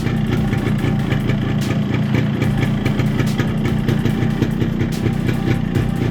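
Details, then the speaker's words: RX135 two-stroke after fitting a new 50-size piston without reboring to cure piston noise: a steady, even idle putter with no knock or rattle; noise is much reduced from before. "Sound जो है पहले से बहुत कम आ रही है।"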